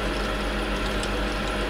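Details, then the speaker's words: Nice Ice N26 automatic ice machine; steady motor hum with faint irregular plastic ticking as the ice-size sensing wheel begins to catch on growing ice, which jams it to trigger harvest; normal operation. "You can see that it's going to stop that plastic wheel soon. I can hear it just starting to catch now, this plastic."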